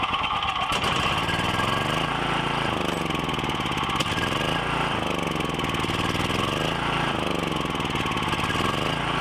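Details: Briggs & Stratton 7,350 W surge / 5,250 W generator, just fitted with a replacement carb after sitting 6+ years, started on choke with little fuel in the bowl: speed keeps rising and sagging, hunting and running rough; needs tuning, an intake leak found later.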